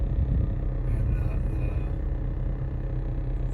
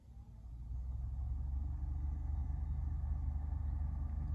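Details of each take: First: 2015 Nissan Versa Note SV dash A/C blower on setting two: steady heavy hum with dash vibrating, louder at higher settings; blower sounds like it is rubbing, likely from debris or mouse nest in housing, fixed by cleaning out. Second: 2015 Nissan Versa Note cabin blower after removing a mouse nest, droppings and insulation from the blower housing; soft steady whoosh at low speeds with no rattle, somewhat loud at speed three but much better than before.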